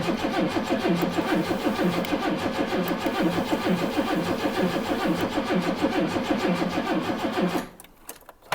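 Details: Late-1980s turbo-converted Vauxhall Senator, not driven in decades: starter churns steadily about two turns a second for seven seconds, engine never catches; earlier the immobilizer was suspected of cutting power.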